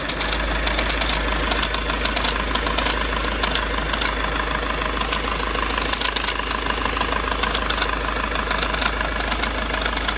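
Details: VW TDI with DSG at diesel idle, loud continuous metallic knocking rattle from engine/gearbox; confirmed failed dual mass flywheel.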